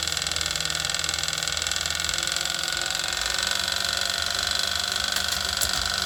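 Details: Wahoo KICKR Snap wheel-on trainer bought Dec 2018, noise began after just over a week of use: a loud high roller whir with a light click about three times a second. The drivetrain is almost silent with the roller off the wheel, so the clicking comes from the trainer.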